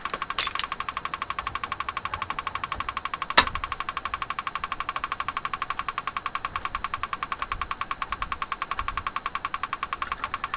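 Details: General Electric KL-70 AM/SW radio after cleaning the push-button assembly switches: sharp, even ticking at about eight clicks a second through the set's hiss, like a woodpecker; an abnormal ticking noise, cause unknown.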